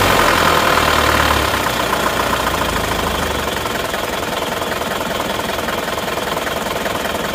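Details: Isuzu Panther diesel with its injection nozzles already verified as good: a lumpy idle with an uneven knock at about three to four beats a second, shaking badly; compression and valve clearances are still to be checked; cause not yet confirmed.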